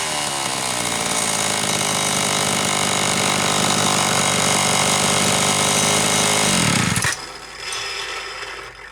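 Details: Homelite Super XL chainsaw (brought in for boiling fuel and overheating) on test run after starter spring fix and replacing a bad new spark plug; high steady buzzing rev held several seconds then drops off; high side set slightly rich on purpose to warm it up; running healthy.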